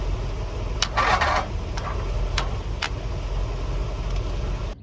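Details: Briggs & Stratton 670cc vertical-shaft engine on a go-kart frame, fuel line primed and started by shorting the starter: a low churning crank with a few sharp pops and a brief rough burst, but it never settles into idle; no start.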